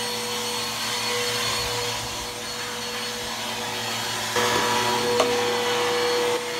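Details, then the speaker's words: Bissell Powerforce Helix 1240 vacuum running: steady high whine and mid-pitched hum growing louder from worn brush roll bearings, not the motor; brush roll needs replacing soon. "uh you can hear the bearings are going out in it um not the motor the brush roll um the bearings are out in the brush roll so the brush roll need to be replaced soon"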